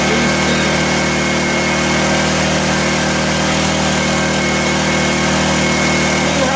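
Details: 1984 Honda EM600 generator on a cold start: steady, high-pitched hum that never settles or dips. Engine overspeed, possibly a sticking governor; the fine-tune adjuster knob did little, and a throttle issue is suspected.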